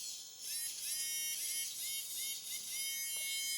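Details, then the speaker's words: Hachette Avro Lancaster B.III model's small engine motor, engine taken off and run on the original battery pack: thin, steady high whir with no catches, spinning very freely. "But as soon as I connect this, I mean, this all seems to spin very, very freely, you know."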